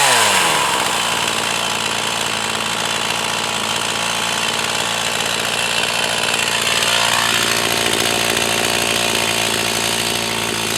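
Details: Echo CS 4500 chainsaw, bought used, stood unused for many years; carb rebuilt, high-speed screw adjusted slightly. Strong high-revving two-stroke scream holds steady under load through the cut with no bogging; cutting cleanly.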